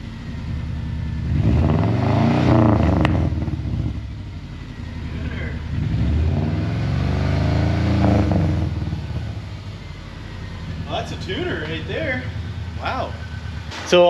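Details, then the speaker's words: Subaru flat-four (1995-05) just after installing an unequal-length header, first start: lumpy uneven burbling rumble with a couple of revs, no ticking, exhaust leak gone, sounding better than before. Normal idle. "already, as you can hear, the car definitely sounds a lot better than when we started. Now, we've got that unequal length rumble, and we also don't have an exhaust leak anymore."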